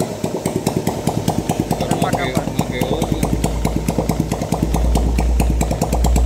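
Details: 2010 Yamaha Jupiter Z motorcycle, engine running with clutch assembly removed; fast, uneven rough knocking over the firing beat at every rpm, worst at mid revs — not the clutch; a bearing fault inside the cases is suspected.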